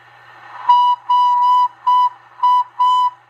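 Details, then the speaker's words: Heavily modified Cobra 142 GTL CB base station, volume at three-quarters or higher: clear high steam-locomotive-like whistle in short bursts, about five in three seconds, from interference fed into the audio; cause not yet known, later fixed. "yeah it's got that um sounds like a little little steam locomotive [Applause] whistle got some sort of interference uh being fed into the [Applause] audio"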